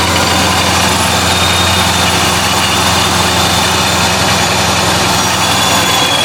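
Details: 2015+ Subaru WRX idling after replacing a snapped belt, owner worried about how hot it got; steady, even idle with a constant high whirr, no squeal or slap from the new belt, though owner notes a slightly strange idle.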